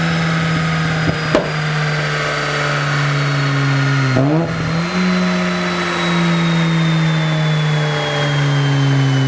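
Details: Mazda FD RX-7 rotary on the dyno during a tune: pulls hard with a clean, steadily rising note and super smooth boost, with no misses or knocks; runs strong and healthy at full throttle.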